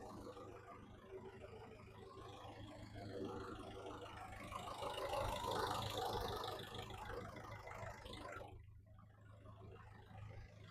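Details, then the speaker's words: VW Caddy after a 2.0 SDI to 1.9 TDI PD conversion, with a new auxiliary belt and the exhaust only to the center section: a quiet, even diesel idle under a steady fan whir. Owner suspects the Webasto delete, which needs coding out in VCDS. Radiator fans running constantly. "We do have the fans on constantly. That may be because I've deleted the wobbasto from this side and I've just run the water hoses direct and completely done away with it"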